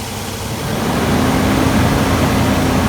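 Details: 1999 Infiniti QX4 after replacing leaking coolant bypass hose behind timing belt cover and refitting distributor and battery terminal: engine catches and settles into steady even idle with no knocks, misses or squeals; leak fixed, sounds healthy.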